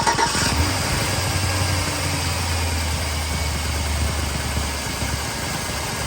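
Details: 1999-2006 Chevrolet Silverado started after installing an Airaid cold air intake and reseating the mass airflow sensor: quick crank, catches cleanly, settles into steady even low drone with no misses or knocks; sounds good.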